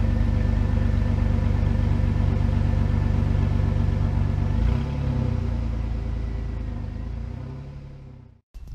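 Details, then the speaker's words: Dodge Dakota with exhaust running all the way to the back, sounding a little different, recorded outdoors in wind: even deep exhaust rumble, brief rev, then settles; normal healthy idle and rev. "The exhaust goes all the way to the back, but it does sound a little different. So you know, I'll put you guys down here and then I'll let you hear it. Might rev it up a little bit."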